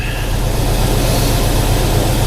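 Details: 1991 Ford Mustang LX 5.0 V8 cold start in 30s °F after winter storage since October, with a swapped battery: steady, even low rumble with quick regular beat, no knocks or stumbles; healthy cold fast idle.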